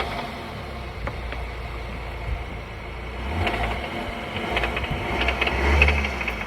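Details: VW Tiguan: engine hum with scattered loose clatters as load shifts and revs build; owner asks what the noise is, drivetrain rattle on load change, suspects gearbox or dual-mass flywheel, unconfirmed.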